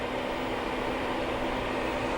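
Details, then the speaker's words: Newly installed coolant heater in a Sprinter van, working after about half an hour of cycling: an even, steady airy whoosh of strong hot air with a faint constant hum, no ticking or surging, the fan running smoothly. "So, yeah, this is finally working, which is awesome. Yeah, this is blowing nice hot air."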